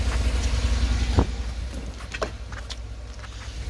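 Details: 2013 Cadillac Escalade AWD Premium V8 idling after the oil pressure sensor replacement, with no oil leaks found: a low, steady, even rumble with one brief click early on and no misses or knocks.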